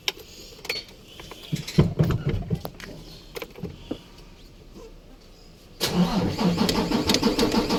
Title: hard starting o ayaw umandar 6wf1 crdi izusu truck